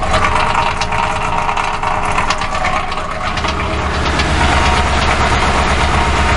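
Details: 2006 Ford Crown Victoria Police Interceptor idling rough, microphone near the catalytic converters: lumpy, irregular low pulse with faint ticking underneath, engine visibly shivering.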